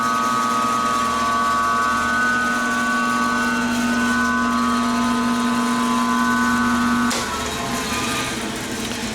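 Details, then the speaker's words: Rikon 14-inch bandsaw model 10-326, which has no brake: even motor tone that drops and fades after switch-off as the blade freewheels to a stop, running cleanly. "This one will spin freely until it comes to a stop."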